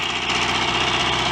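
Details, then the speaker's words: Royal Enfield Constellation 700 twin after magneto points repair, with TT/GP carburettor: fast light chirping tick over idle, suspected leak at a cylinder head joint; not confirmed. "i hear a twitter from a cylinder head joint i would say"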